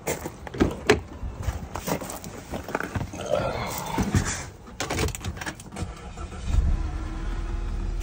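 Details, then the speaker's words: AstroAI S8 12V 1500A jump pack starting car with battery cable fully disconnected, boost mode on: clicks, then engine catches and settles into steady even idle running off the pack; normal crank and start. "started just fine it's running off that battery pack right now"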